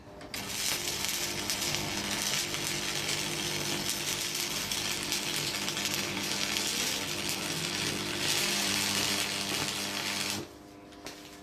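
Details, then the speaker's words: Antique transformer arc welder after refurbishment with new cable plug connectors replacing poor connections: steady, even crackle and sizzle for about ten seconds with no sputtering or dropouts; a stable, healthy arc. "There you go, guys. A lot better now. We haven't got all that crappy connections and it actually welds."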